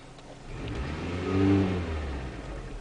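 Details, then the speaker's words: 2001 Mitsubishi Galant petrol engine blipped off idle: uneven, hesitant rise with a stumble/misfire on tip-in, caused by a counterfeit camshaft position sensor; engine also randomly stalled at idle, cured by a genuine sensor. "Initially, when you step on the gas, it'll stumble past that mark. So, stepping on the gas, there's a stumble from the engine."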